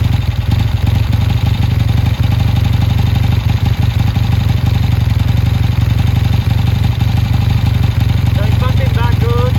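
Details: Triumph T140 twin on first start after fitting new carburettors; before starting, a spark plug came out heavily oil-fouled and crankcase oil was in question. Strong, even low throb with a steady fast beat, no missing or clatter; running healthy and well tuned.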